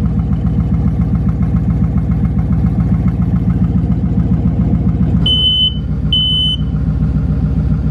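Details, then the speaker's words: 2019 Mustang GT V8 with new twin-turbo setup, first startup on a fresh tune before charge piping is fitted; deep even lumpy burble with two short chimes, pressures good, idling healthily. "well pressures good looks fine don't worry about it she sounds like she's purring yeah"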